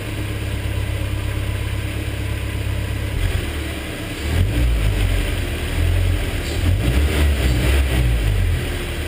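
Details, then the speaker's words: BMW E30 with M42 engine after sitting, warm after running at medium-high revs to bleed hydraulic lifters: steady idle with throttle blips, only a faint tick left; lifter noise reduced but not clearly cured. "all right so that's what the car sounds like right now I'd like to say that it sounds a little bit better than last time having now that I've let it warm up and get some oil through it"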